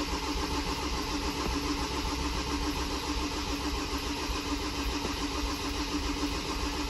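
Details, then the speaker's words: Ford Transit diesel after injector pump replacement: steady, even cranking that never catches or gains speed. Cranks but won't start because of air in the fuel system, so the fuel system needs bleeding. "no she won't even cranky yet okay no that didn't work we're going to we're going to have to go bleeding"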